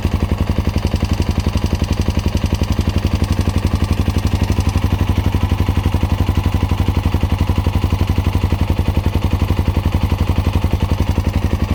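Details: Honda Dominator NX650 RD08 with new cam chain, tensioner, spring, bolt, cam and rocker arms: fast, even top-end ticking about four a second over a hot idle, eliminated by tilting bike right; cam chain guides suspected.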